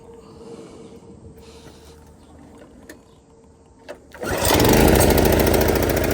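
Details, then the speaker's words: Predator 212 single-cylinder engine still on a Toro 38585 snowblower, test run before removal with choke on start, throttle at middle and gas in tank. Catches on one pull, then runs loud, even and steady with no misses or knocks. "Okay, well, the guy wasn't lying. Started one"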